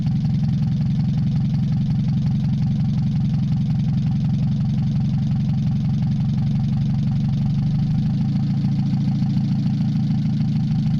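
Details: Mazda 626 first start after cylinder head reassembly, warming up, rest of exhaust not connected, oil overfilled: low uneven irregular rumble shifting tone partway, hunting. Owner suspects O2 sensor misreading open exhaust, possibly old gas. Rough fluctuating idle.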